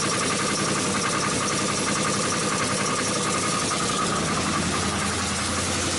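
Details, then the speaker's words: 2005 Chrysler 300C 5.7L Hemi V8, first start after rebuild: rough, busy idle with a hard, uneven knock under the engine noise, sounding like rod knock; bottom-end knock suspected, cause not pinned down. "you hear that that sounds like a fucking rod knock and for what reason is knocking i have no idea"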